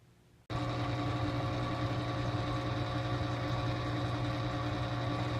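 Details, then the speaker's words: New Kedsum 3000 aquarium return pump, replacing a failing Aqueon QuietFlow 1700: after a faint start it settles into a low, steady hum with no rattle or buzz; very quiet, healthy run. "So as you can tell, this Kedsum 3000 return pump is very quiet. I don't even hear it."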